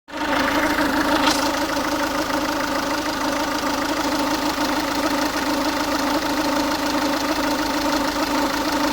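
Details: Ford Focus 1.6 TDCi diesel at warm idle: steady rattly knock over the engine note, noise only occurs when the engine is warm; cause unknown, owner asking for opinions.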